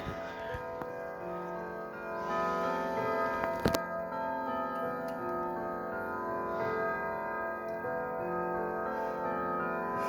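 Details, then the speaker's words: Sligh triple-chime grandfather clock, circa 1980–81, recently repaired: clear, even, sustained chime tones on the hour over a steady tick, strike and movement working; normal hour chime. "there you have it that is the sly grandfather clock triple chimes circa 1981 i believe or 1980"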